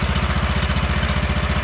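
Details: Wheel Horse garden tractor with new electric fuel pump, low hours, started cold in snowy weather: steady even low thumping at about eleven beats a second, no skips or knocks; normal running.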